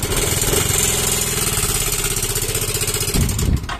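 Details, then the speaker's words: Yamaha Mio M3 scooter idling with a fast, rough "kletek" tapping clatter that keeps pace with the engine; the mechanic first suspects the con rod or crank bearing; the sound of a worn camshaft and seized rocker arm. "Nah yang bunyi kletek kletek kletek kletek itu tadi itu bisa juga Setang Seher bisa juga rumah laher kruk as atau bandul itu bisa ya"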